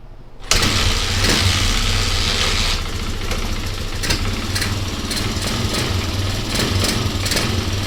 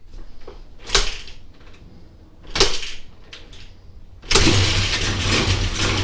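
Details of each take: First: Basket-case Honda XR200R single-cylinder engine, after getting spark, carb spray and earlier suspected timing-chain/clutch-side rattle: fires on first catch and settles into a crisp, even idle with no misses or rattle; normal start and idle. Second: Honda XR200R basket-case project, first start after spraying carb cleaner, oil low, restrictive muffler: a few failed kicks, then the single catches and runs with a loose metallic rattle; timing chain or clutch suspected.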